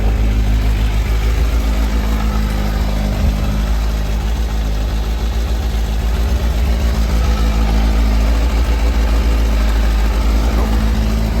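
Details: 2018 Kawasaki Versys 1000, 15,218 miles, full service history, just started cold and warming up, low on fuel: smooth, even low idle with steady deep throb, no ticks or misfires; healthy engine.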